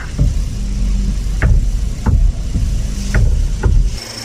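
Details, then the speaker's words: Honda electric power steering: irregular dull clunks and a stiff, non-smooth feel turning the wheel, from a lack of grease between the motor and worm gear. Fixed with special steering-gear grease, without replacing the steering assembly. "If the direction is not smooth when your car is running and it makes a noise after stopping, then don't rush to replace your steering wheel assembly."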